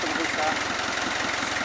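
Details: Kia Bongo diesel idling with steady, even clatter and no misses, after the starter motor was cleaned to cure a click-only no-crank. Normal healthy idle.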